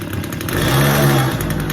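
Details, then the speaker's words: Stihl chainsaw after carburetor cleanout, warmed up: short, even two-stroke low idle picking up briefly with a touch of throttle and settling smoothly; runs healthy. "So that's my low idle. That sounds good. If I give it a little gas,"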